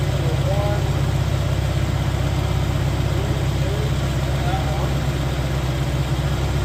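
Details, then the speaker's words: 1985 Mercury Marquis police interceptor 351 Windsor V8 with aftermarket cam, mufflers, timing 12° base/36° max: steady, even idle with regular deep burble, no ticks, knocks or misses; cam not very lopey, slight blow-by; normal idle. "But it sounds good. I mean, it doesn't sound like a huge performer right now, but it's still got mufflers."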